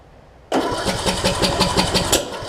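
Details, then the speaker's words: John Deere D110 mower after an engine block swap, cranking with carb spray added: laboured cranking with hard kickback pulses and no start. The owner says it sounds like the timing is off and plans to research whether the flywheel magnets could cause it. "man it's giving me some serious kickback isn't it"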